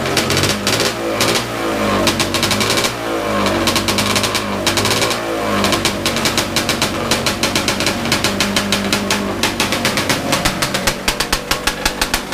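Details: Big-bore stroker 277 two-stroke snowmobile engine, first start after rebuild with new sleeve, primed beforehand: crisp, even firing that picks up cleanly as the throttle opens and settles into a fast, regular crackle; running healthy.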